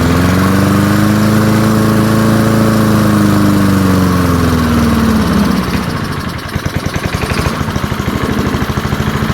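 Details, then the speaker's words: Early-1970s BF Goodrich push mower, a barn find that sat for years with a seized engine, now freed and running outdoors after carburetor diaphragm work: the single cylinder runs strong, then drops smoothly to a steady idle of about three beats per second. Normal running. "well there we have it there I'm really quite surprised this thing sitting there running as nice as can be"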